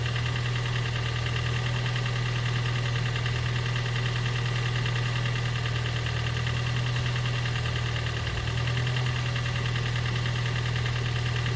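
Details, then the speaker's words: Gen 2 Toyota Prius 1.5L hybrid with codes P3190, P0A0F, P3000, P0A80; low droning, slightly uneven idle with a brief stumble. Compression too low, so when cold it cannot heat intake air on compression stroke, causing no-start. "Actually, the compression is too low. So when it's cold, it cannot heat the uh uh air inside the combustion chamber on the compression stroke. So that's the reason it's not uh starting."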